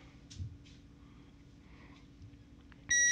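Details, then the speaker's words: Minuteman Entrust ETR 700 UPS after battery replacement, running a lamp on battery power with mains unplugged: quiet room, then one sharp high-pitched beep about a third of a second long, louder than before; normal on-battery warning. "But you can hear the beeping is a lot louder now. Which that would get annoying."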